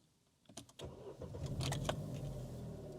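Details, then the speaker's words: 2013 Chevrolet Aveo, 28,000 on the clock, first start after purchase: starter whirs, engine fires into an uneven lumpy idle running on a cylinder down, no engine light; owner suspects spark plugs or coil pack. "that oh that doesn't sound right that's a bit lumpy actually can you hear that it isn't idling right that's only running on we got a cylinder down here folks"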